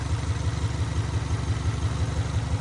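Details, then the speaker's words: Used car being considered for purchase, a little low on oil: steady low idle with a hollow slap repeating about five or six times a second. The source is not identified. Engine slap noise. "This motor is a little low on oil, so I got to be quick from what it seems. But we might be buying this for 600 bucks. Got a weird slap going on."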